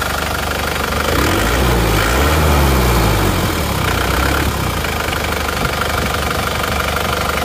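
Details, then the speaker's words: Isuzu Panther diesel before rebuild, smoke from the oil filler cap, weak on power: loud, rough idle with heavy chuffing pulse and a brief rev rise; mechanic judges compression leakage from worn piston rings or liners. "untuk kondisi mesin yang seperti itu emang kalau menurut saya itu emang sudah positif itu adalah gejala kebocoran kompresi dipastikan itu sudah ada kausan ya baik reker atau linernya itu pasti ada"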